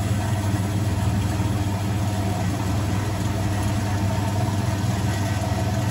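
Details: Vintage Hotpoint 1012 spin dryer with wringing-wet load: steady low droning hum at constant speed, no knocking, scraping or wobble; normal spin cycle.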